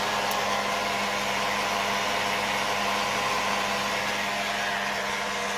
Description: 2006 Volvo XC90 V8 makes a whirring rattle at idle. What is it?